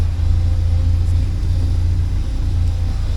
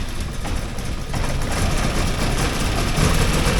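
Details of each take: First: 1979 Porsche 924 running after fuel tank deep clean, warming up: steady even low rumble with no misses or stumbles, starting to burn clean; normal idle. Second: 1979 Porsche 924 idling cold after a fuel tank deep clean: a lumpy, uneven idle with an unsteady low rumble that firms slightly as it runs, rough until warmed up.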